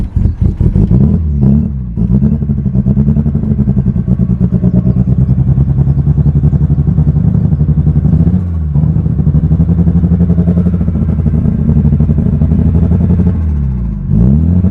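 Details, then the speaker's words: Mitsubishi Evo 8 just after a new fuel pump housing, harness and assist pump were fitted: uneven, fluttering idle whose beat wavers and dips every few seconds after a very hard start; runs rough, cause unknown. "but it just feels like this car is just freaking fluttering like it had the hardest time starting up and it just doesn't sound good at all right now"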